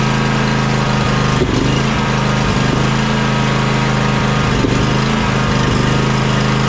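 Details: John Deere X300 riding mower that ran rough, surged and died at full throttle, after choke and carburetor fix: steady, even twin-cylinder drone at constant speed with no misses, surging or dying; running smoothly.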